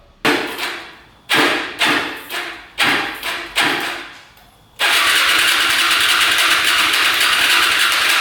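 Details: Hyosung Aquila 250cc motorcycle, fresh oil, fuel pump working: short cranking bursts then a long crank that never catches; fuel reaching everything but leaking from the exhaust pipe, engine flooding.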